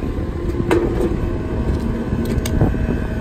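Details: Condenser that was not running, restarted after repair: steady low hum with an even fan rush and no knocks or rattles; running normally.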